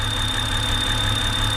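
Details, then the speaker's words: 2007 BMW X3 N52 engine at idle with a thin, steady high whine that goes away and comes back as the oil cap is worked; suspected rear main seal whistle from excess crankcase vacuum. "because it's basically sucking itself in and it's the air passing through from atmosphere into the crankcase through the seal and it makes that whistling noise"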